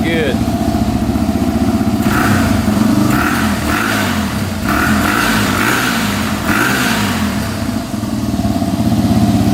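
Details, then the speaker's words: 2005 Yamaha TTR250 that had sat for years without starting, after replacing a too-long carburetor needle that blocked fuel: fires and revs up and down cleanly with an even beat, no ticking, no carb leaks; normal running. "running really good no leaking from the carburetor so I think we're all set sounds great no ticking"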